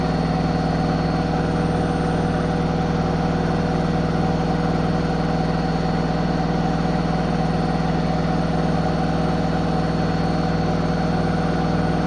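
Steady loud machine hum with a regular low thump about three times a second, even throughout; washer knocking during spin.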